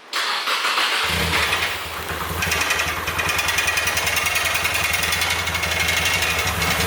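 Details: Nissan S14 Kouki's first start after an engine swap (no motor a few days earlier), with the fuel pump audible: it cranks, fires at once and settles into a steady, even idle with no knock or misfire, running normally.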